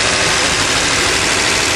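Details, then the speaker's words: Well-worn Dodge van, slant six 225, four-speed manual, cold start at about 20 °C after three months sitting, hot-wired: starts easily, then even unbroken rumble with no knocks, misses or hunting while warming up at idle. "as usual it runs like a charm that's three months you know just sitting summer or winter this thing always starts amazing"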